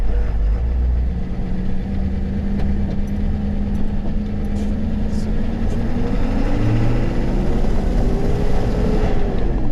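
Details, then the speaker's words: Ford F250 7.3 diesel, about 500k miles, after turbo repair and exhaust fix, on a test drive: pulls hard with a steady rising whoosh as the turbo spools under load; sounds healthy. "There, she's pulling up. Sounds good. The old F250's back."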